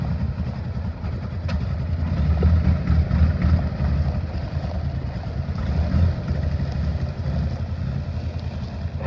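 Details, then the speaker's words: 1960 Grumman Olson old petrol engine running off a fuel can (tank pickup sock likely clogged), first revival: low, slightly uneven chugging beat with no knock or clatter; sounds acceptable, normal running. "don't sound too awful bad"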